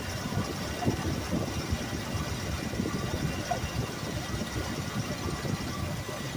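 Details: 1969 Ford Mustang Mach 1 V8 with Holley 650 carburetor after idle mixture screws set: low even burble at steady idle with no hunting, misses or stumbles; mixture set right, runs smoothly.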